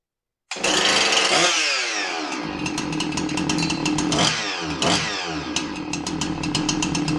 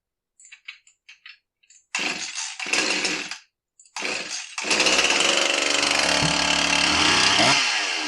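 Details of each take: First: Husqvarna 346XP chainsaw (complaint: dies at idle unless throttle held) running with sloppy clutch removed; fires and revs cleanly with no rattle, noise gone, so noise was in the clutch, not engine; clutch to be replaced; normal running. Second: Husqvarna 346XP chainsaw that won't idle: over the high buzzing run and throttle blips, a tinny clanking, tinging rattle often confused with a bad bearing or piston slap; source not pinned down; metallic rattle.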